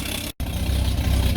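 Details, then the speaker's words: Ex-police Ford XG van after exhaust manifold leak repair work: loud, coarse low rumble at idle, as if there were no exhaust, with heavy smoke; an exhaust leak is suspected, possibly the gasket burning, not confirmed. "Don't know why it's noisy. I'm sure I tightened that down pretty good."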